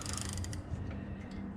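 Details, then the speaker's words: Wayne Dalton garage door, about 4 years old, ratchet turned on the torsion spring side with no tension behind it: quick light clicking of ratchet teeth turning freely; this side has the broken spring. "You can hear these teeth in here clicking. So this is the side that has the broken spring."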